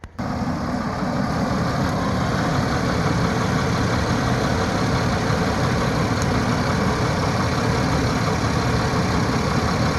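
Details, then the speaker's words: Oldsmobile petrol engine idling with an uneven, stumbling beat from a cylinder 2 misfire. Checked in the dark, the spark plug wire was arcing because its insulation was chewed, probably by a mouse. It was taped temporarily and new wires are to be ordered. "I got a bit of an issue going on with the old mobile see that got a Miss fire on cylinder 2 let me show you what's going"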